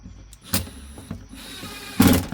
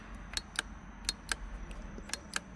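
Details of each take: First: 2015 Lincoln MKX flood-damaged, window motor worked back and forth to revive it, now out of calibration: short motor whir between clunks as glass travels; window motor working again, needs calibration procedure. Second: 2015 Lincoln MKX, flood-damaged: uneven sharp ticks about three or four a second from inside the door as the power window motor tries to run; clicking but the window does not move.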